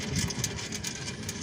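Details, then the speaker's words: 2010 Kia Soul rear wheel, car rocked back and forth: irregular pops and rough grinding rattle, worsening lately; owner suspects bad rear wheel bearing, to be replaced; popping and grinding noise from rear wheel. "But since lately I've been getting a popping, grinding sound from the back and it gets really worse now, so I don't know, you guys can probably hear that."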